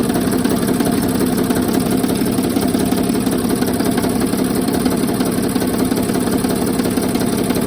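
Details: 2007 Sprinter OM642 diesel, a well-used, poorly maintained engine just installed, idling with the accessory belt removed: a steady tapping knock about three times a second over the clatter, loudest on the van's left side (cylinders 4–5).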